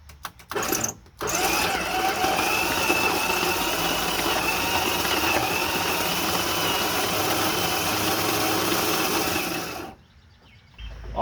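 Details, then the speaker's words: 1971 Dodge D100 abandoned 34 years, first crank attempt: starter turns engine over steadily but sluggishly, about three turns per second for eight seconds; starter works but slow; compression later judged not great. "right we know the starter works it ain't super fast but maybe it'll be good enough"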